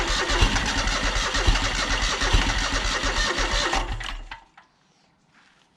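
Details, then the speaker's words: John Deere X485 riding mower, weak nearly dead battery: engine runs with uneven lumpy beat about four seconds then dies; owner suspects fuel starvation, possibly air pressure related, not confirmed. "my battery's about dead but that's a good sign so sounds like it's definitely um sounds like it's starving for fuel"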